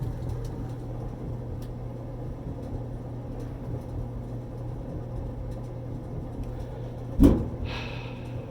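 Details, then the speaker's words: Dryer after repair with new double ball bearing pulley: steady low drum hum with no squeal or scraping, then soft thump as it spools down; runs normally. "I think I can hear the new pulley system. The new pulley system has a actual ball bearing."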